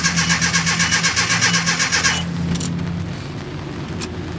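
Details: 1987 Nissan D21 pickup, Z24 twin-plug four-cylinder, new fuel pump just fitted, no fuel pressure yet: steady cranking about four turns a second for two seconds, then stops, never catches; crank, no start.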